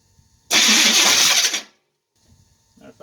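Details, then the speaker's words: Chevy Nova, first start attempt with a newly fitted electric fuel pump and regulator, new plugs and wires, distributor fully retarded: about a second of harsh high-pitched grinding whir while cranking before it fired; starter needs shimming. "Fuel on. Starter needs to be shimmed. But it did fire."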